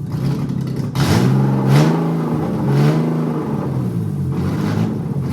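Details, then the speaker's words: BMW E36 318 Touring after an M52 straight-six swap, running just after the fuel pump was wired to the engine harness: low, uneven rumble that wavers and surges instead of holding steady. Rough idle, cause unknown. "So now it works finally, and it runs really smoothly. But I have a really bad idle. I don't know why. Yeah, take a listen."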